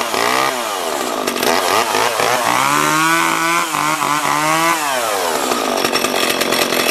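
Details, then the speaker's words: Small junk-pile chainsaw, restored, cutting wood: revs up cleanly and holds pitch under load; brake working, though owner suspects the oiler isn't feeding oil; normal running. "well that works I didn't think the brake worked for a second but I got it working"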